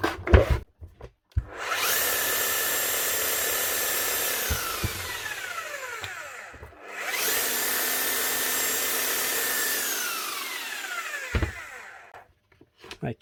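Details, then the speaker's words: 18-year-old (2006) new-old-stock Makita HR5001C hammer, after a clean and new brushes for corroded brush holder and armature: two smooth runs rising to a steady high whine and winding down cleanly, no grinding or sparking crackle; healthy motor. "a Makita HR 51c from 2006 still brand new just with a bit of corrosion on the brush holder and Armature little bit of stripping down bit of a clean and she's running like you again that's unreal"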